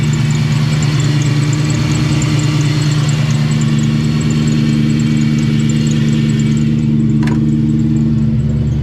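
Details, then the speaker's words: 2004 Ford Mustang Cobra (Terminator) at idle: faint, fast, regular chirp over the engine from a stretched serpentine belt rubbing against itself; needs a shorter belt. "The belt's definitely stretched and it's rubbing against itself. That's why it's making that chirping noise."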